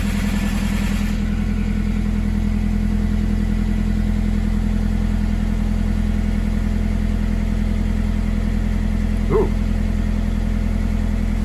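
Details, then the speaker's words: VW Polo 6N2 (AUA) at its first start after the fuel pump, coil and distributor were reconnected: smooth, even low idle about two and a half beats a second, no knocks or misses; some smoke coming off the engine. "go to the engine it sounds really nice we're getting some smoke off the engine"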